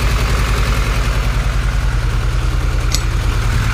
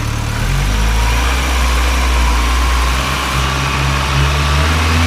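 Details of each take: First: Supercharged Honda Integra at idle on first start after the rebuild: rough, uneven, lumpy stumbling idle, a misfire later traced to two spark plug wires swapped. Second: Supercharged Honda Integra project before its first drive: steady, even idle with a light injector tick over a smooth low hum; ticking thought to be injectors, engine sounds healthy.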